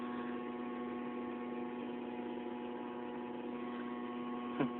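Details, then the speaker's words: 1993 Mazda Miata after replacing the Denso in-tank fuel pump with a Walbro: steady, even electrical hum at one pitch; the new pump is running normally but audibly. "as long as this car runs and it doesn't overheat and doesn't stall out and I will be happy for the time being you can still hear that walbro noise there"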